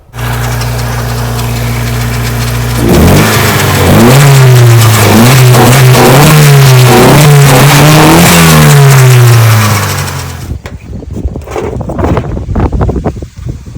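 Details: Nissan 240SX S13 coupe, wrecked and sitting in the desert for ten years, freshly wired and running: even idle, then repeated clean blips rising and falling smoothly before dropping back; revs freely and sounds healthy.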